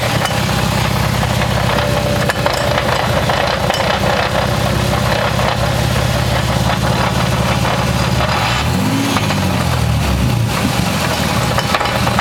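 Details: 1994 Toyota Supra twin-turbo 6-speed while driving: loud, steady low droning hum easily mistaken for engine or gearbox noise, actually caused by a bad rear wheel bearing.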